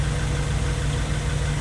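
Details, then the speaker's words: Honda Civic freshly rebuilt D16Y8 engine on regular 10W-30 break-in oil, idling after first start: steady, even low idle, smooth unbroken rumble, no bottom-end knocking; everything sounds good, normal idle. "so far so good, man. Everything sounds good. I'm gonna let it run for a while."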